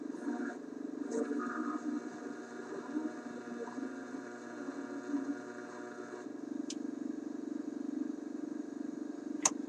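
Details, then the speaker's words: Concerto AM/FM vacuum tube radio LL21552 on the AM band, heard during AM alignment: steady hiss and crackle with faint whistles and sharp pops wherever it is tuned, little signal. Weak AM reception; touching the antenna coil changes it, owner suspects the ferrite antenna coil cores. "so no matter where i tune this radio i hear junk"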